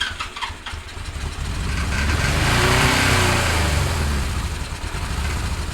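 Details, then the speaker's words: 1977 Suzuki GS550 café racer four-cylinder after carb cleaning, started on choke: it catches and the revs climb and hang high instead of settling; it would idle on choke then run without it, later traced to the carb throttle shaft fitted backwards. "what was happening is it would start, it would idle on the choke, and eventually it'd start running without the choke."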